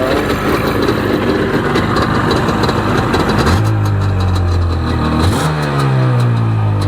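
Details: 1995 Sea-Doo XP 717 two-stroke, run on a jumper box without cooling water: it fires up and runs with a crisp, even buzz, blipping up smoothly twice with no knocks or misses; it smokes, so the oiler works.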